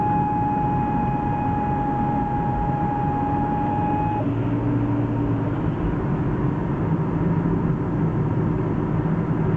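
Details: BMW E36 automatic, whining when driving cold, persisting after ATF refill in * and 4; specialists blamed the transmission, but the cause was the nearly new (under 6 months) SWAG driveshaft center bearing: steady high whine over road rumble.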